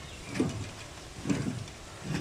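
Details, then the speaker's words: BMW E46 with vibration noise, wheel spun freely before hub replacement: faint rough grinding swish about once a second; worn front wheel bearing, fixed by replacing the hub assembly. "Trust me, a wheel is not supposed to sound like that. Not even in the [ __ ] slightest."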